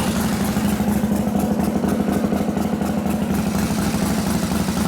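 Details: 1978 Harley FL shovelhead with 93ci stroker big-bore motor, new build by Tatro Machine; in neutral after carb tickler priming, uneven lumpy V-twin idle at roughly two beats a second, firing steadily without misses or clatter, healthy.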